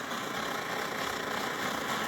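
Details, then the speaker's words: SVEA 123R stove, a circa-2014 model, which also candles and won't shut off fully: steady roaring hiss swells and fades unevenly with yellow-tipped flame, burner pulsing instead of burning steady; cause not yet known. "It's got the yellow tips on the flame, and it's also pulsing like that, and that's not right."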